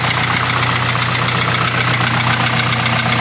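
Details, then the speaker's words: Car engine idling after a visit to a tuning shop for persistent noises, engine previously rebuilt with replacement pistons: fast, fairly even knock about four per second over the idle; suspected piston slap or broken valve keeper, possible major engine damage, unconfirmed. "Das hört sich an wie ein Kolbenkipper. Klingstückbruch oder sowas."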